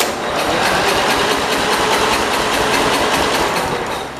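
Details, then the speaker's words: Cub Cadet 482 garden tractor bought from the original owner's son, after a dose of fuel: catches and pops unevenly, sputtering about four firings a second before fading, won't keep running; owner suspects carburetor needs cleaning or adjustment, plug to be cleaned. "i think it needs carburetor cleaning or adjustment right let's try to give us some more let's put some more gas in it we had it almost run it wanted to take off"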